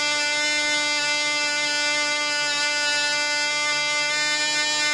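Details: Black Widow mouse racer second run after loose screws found, 24% nitromethane fuel, 5x3 prop, high-compression head: high steady full-throttle buzz holding pitch, about twice as loud with prop wind audible; runs strong and clean.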